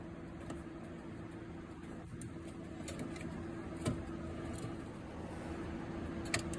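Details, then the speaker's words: Yamaha generator with prime button on: relay clicks sharply but no pump buzz follows; fuel pump not running, found to be a bad fuel pump. "You can hear what? The relay kicking on, but the fuel pump's not coming on."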